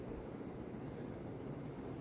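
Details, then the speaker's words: 52-inch Supreme Fan Mark III ceiling fan salvaged from an abandoned house, running on high; steady even rush of air with a soft low hum and no ticking, wobble or scraping, strong enough to feel air pulled up. Variable speed switch faulty, jumps straight to high. Normal high-speed operation. "This fan is not playing around when it's on high speed, that's for damn sure. I could actually feel the air being pulled up."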